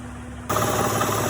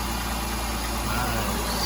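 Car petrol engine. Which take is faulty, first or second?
first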